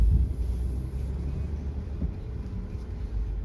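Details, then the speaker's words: 2016 Mercedes GL450 on test drive after front brake replacement with Bendix Premium Copper-Free CFC1629 pads: steady low road rumble, no squeal or grinding; the earlier brake noise is gone, brakes feel very nice. "Nope, the sound is gone. Feels very nice."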